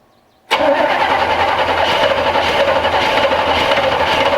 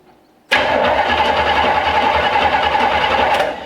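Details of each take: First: 1965 Chevrolet C10 cranking steadily about seven seconds without catching while running off a temporary fuel tank; still not pumping fuel, taking a while to prime. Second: 1965 Chevrolet C10 step-side, before planned starter change: strong, even starter whir at about three and a half turns per second, steady for three seconds; normal cranking.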